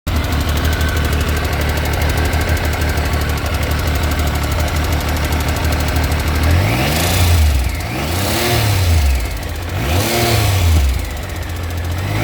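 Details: 2000 Triumph 955i Sprint triple at about 105,000 km: fast, light metallic ticking at idle and on two revs. Valve clearances were set and the cam chain replaced, but it still ticks; the tensioner is original; cause unknown.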